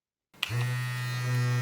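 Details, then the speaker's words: Philips QC5380 trimmer opened, motor run with the blade detached while diagnosing blades that would not move: a click, then a steady, even low buzz that speeds up in turbo mode; motor and battery fine. "As you can see, it spins freely, really fast, and even if I press the turbo mode, it goes even faster. So it's definitely working. There is no problem with the motor."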